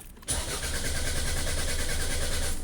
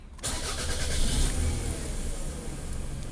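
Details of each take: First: 2004 Toyota RAV4 cranks evenly for over two seconds without firing using the old key, security light on; immobilizer not recognizing key, so fuel is cut. Starts once the new key is used; the old key was the original fault. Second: 2004 Toyota RAV4 with crank-no-start: after swapping to the new key (security light out), a brief crank catches quickly and settles into steady low idle without stumbling; normal start, original fault was the old key.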